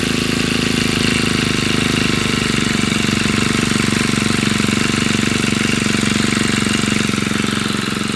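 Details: Honda GX35 four-stroke brush cutter after replacing a cracked oil hose (crankshaft seal checked, not leaking), idling to warm up and check for oil leaks; fast regular firing beat, constant tone, no misses or knocks: normal idle.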